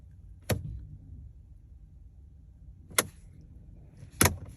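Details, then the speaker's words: Mercedes CLS63 AMG V8 non-runner, key turned to crank: only a few sharp isolated clicks seconds apart, no cranking at all; not fuel-related since it would at least crank. "I'm not sure if the camera is catching that but you can hear a slight sound that's all you can hear you don't hear the engine trying and turn or anything like like that"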